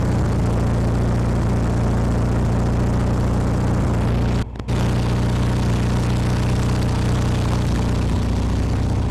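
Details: 1972 VW Super Beetle air-cooled engine after electronic distributor conversion, timing set with timing light: steady low putter, even apart from one brief dip; uneven idle during ignition timing adjustment.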